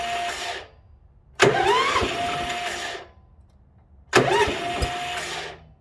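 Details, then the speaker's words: International Harvester 4130 skid steer under rebuild, on blocks and jacks, cranked with choke on, fuel on and a little throttle: two short cranking bursts that almost catch, then drop out; cranks but won't start. Owner suspects the starter kicks out thinking the engine has fired. "but it's almost firing it's just barely not firing because the starter's kicking out thinking that it has already fired and it hasn't"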